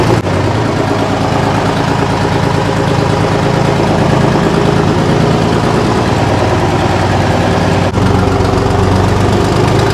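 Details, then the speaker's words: Detroit Diesel 6V53 two-stroke in 6x6 garbage truck, no muffler, restarted after sitting at least 4 years: loud, raw unmuffled rumble at a steady, even idle with no misses or knocks; running well. "It's got no muffler, so all the Detroit fans will probably enjoy the sound of this."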